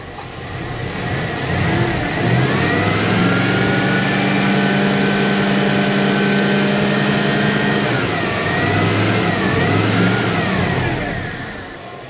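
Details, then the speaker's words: 1980 Dodge W200, Magnum 5.9L V8 with Holley 600 cfm carb, cold: revs up and holds, then the pitch wobbles coming back off idle. Off-idle stumble, baseline for jetting. "got an off off idle stumble now so I think now I got a baseline to go from"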